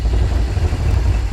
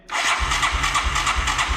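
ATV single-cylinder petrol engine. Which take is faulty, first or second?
second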